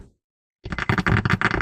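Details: Head unit of a 2006 Honda Accord 7 with built-in amplifier crackles and hisses in every mode, volume unresponsive; solder joints on the amplifier board cracked, fixed by resoldering suspect joints; harsh irregular crackle and hiss bursts after a short silence.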